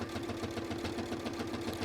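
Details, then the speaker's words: Well-used 570A sewing machine stitching a bag handle: steady motor hum with a regular thump about five times a second; user suspects the needle needs changing, unconfirmed. "I have to say I should I haven't got a spare needle here but the reason you can hear that thumping is probably because I need to change the needle"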